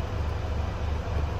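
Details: 2018 Mercedes Actros HGV diesel idling after the NOx sensor emissions fault was cleared: a deep, steady rumble with an even beat and no knocks or surging. Normal idle with no other faults and no engine light.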